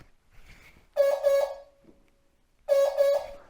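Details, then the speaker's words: 1980 MGB, Lucas electrics, during wiring repairs with the radiator out: the horns give two pairs of short honks with a buzzy, rough, thin tone instead of a clean blare. The cause is not yet confirmed. Weak, distorted horn. "I don't think they're supposed to sound like that for some reason do you"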